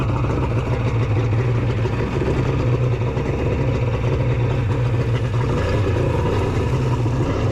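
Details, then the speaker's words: Custom-cylinder-head engine at a steady fixed speed: low drone with a lumpy, uneven note; sounds like it is only running on two cylinders, cause not yet found. "oh foreign sounds like it's only running on two that's not ideal"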